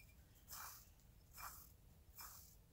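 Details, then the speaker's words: Onewheel stock hub bearing, removed and rusted from water ingress, spun by hand three times: short gritty rasp fading out each spin; it should be silent, so it was replaced with a ceramic bearing. "but check this out if you can hear that it's noisy this shouldn't make any noise"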